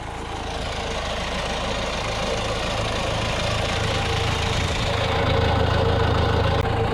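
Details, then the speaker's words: John Deere 6310 diesel tractor during service, after fuel filter change and long cranking to fill it: even clatter at steady low idle, no hunting or stumbling, running to purge air from fuel system; idles fine, no leaks. "it's just running there at the moment making sure there's no air in the fuel system"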